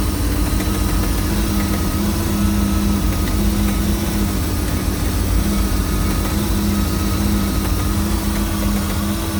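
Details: MerCruiser 260 5.7L V8 marine engine at idle: steady idle with a faint pulsing knock at a regular rate, heard only at idle and gone when rpm rises; source not yet diagnosed.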